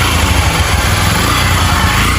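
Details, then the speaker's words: Yamaha Factor motorcycle that previously had heavy engine noise, after the work: a smooth, even single-cylinder idle with a steady low thump and no knocking or rattling, so quiet it almost seems off. "Ó o barulhinho do motor aí, pessoal. Ó o barulhinho aí. Sereninha."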